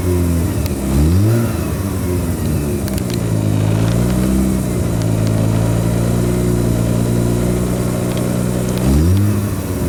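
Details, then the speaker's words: Mazda RX-7 rotary with hard-start issue, first start after plugs reinstalled: revs up then settles to lumpy, uneven idle with stumbles and strong raw-fuel smell; running rough after hard start, likely flooding. "see how rough it was smells like a lot of raw fuel too"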